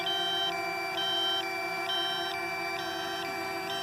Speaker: Yep, 5%. Hear that noise. I'm just trying to wear it out. Critically low battery.